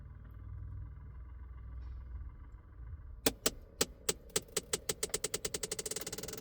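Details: Scat Pack just after engine shut-off: sharp clicks start slowly, then speed up to several per second; owner suspects the heater box, source unclear.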